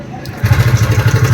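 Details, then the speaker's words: TVS Ntorq 125 BS6 scooter, seat open, just started: quick regular clatter on the idle at about ten beats a second; worn timing chain tensioner. "गाड़ी start condition में है। Sound आप यहां पर सुन पा रहे होंगे। किस तरह से साउंड कर रहा है।"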